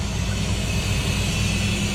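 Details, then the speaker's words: Hoshizaki ice maker, inlet solenoid valve open for a fill cycle after defrost, line now cold in ice mode: constant rushing water hiss over a low steady hum, no chatter or hammering; filling normally. "now it opened up the water again and it's going to be it's a fill cycle so it's starting the new process"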